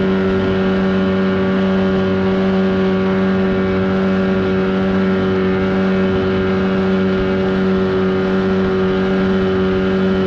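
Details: 1979 Evinrude 35hp outboard on the water after adjustments, with the air box left off. Steady, even drone at constant high revs, no misses, surging or knocks; running cleanly and healthy at speed.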